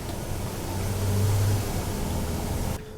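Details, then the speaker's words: Dodge/Mercedes Sprinter van road test after replacing the bad turbo boost-pressure actuator (code 2510, limp mode under 15 MPH); steady deep diesel drone pulling evenly under load, no knocks or whistles, plenty of power, no check engine light; normal acceleration. "so the vehicle is now driving well we have a lot of power so we're good to go"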